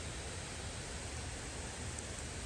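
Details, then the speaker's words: K-Rain K2 Pro 3/4" gear-drive pop-up rotor sprinkler after replacement, working after several tries: steady hiss of water spray with soft, even rush, no sputter or rattle; rotating correct direction, spraying strongly, normal. "I may have to tone down the sprinklage because it's really pumping."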